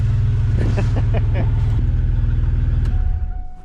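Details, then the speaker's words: V6 Camaro running after gas tank reinstalled, no exhaust fitted yet: loud raw barking pulses, about four a second, harsh unmuffled blat; loud open exhaust, no fuel leaks. "The thing runs now. The gas tank's all in it. No leaks. No exhaust yet."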